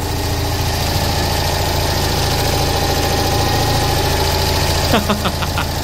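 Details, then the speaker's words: Citroen 2CV flat-twin, 135,000 miles, first successful cold start after sitting about 8 months, no battery charger used: even, steady idle with no ticking or stumbling; normal warm-up idle. "that's our first successful cold start I'm a bit baffled really I didn't think it was going to start"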